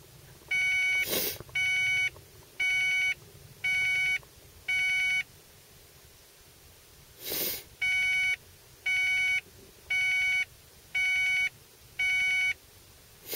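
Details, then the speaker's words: 1995 Ford Probe GT, 102k miles: short bursts of high stacked beeps, about one a second in groups of five, repeating even when car is off and locked; drains battery, source unknown. "that's the sound it does it does it even when i'm out of the car the car is locked it just keeps on going and it drains my battery and it pisses me off"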